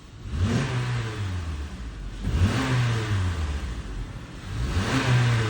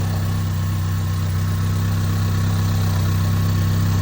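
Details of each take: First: 2015 Honda CR-V 2.4L AWD, after oil service for rattle blamed on low/dirty oil (VVT solenoid/phaser suspected), worse when cold: light throttle blips rise and fall cleanly, even note, rattle gone; normal engine revving. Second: 2015 Honda CR-V 2.4L AWD, cold start: steady idle with a faint uneven rattle (~3-4/s) that grows louder and reportedly fades as it warms; suspected low/dirty oil from overdue changes affecting VVT solenoid/phaser/sprockets.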